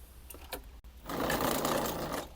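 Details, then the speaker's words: Crosser CR1 electric scooter, over 2,000 km, new controller fitted: hub motor hums then rough rattling buzz, jerking instead of spinning smoothly, from mismatched phase and Hall sensor wire colors; other combinations being tried. "Вот он уже поехал, но мы слышим, что работа некорректная у него, то есть он гудит, воит."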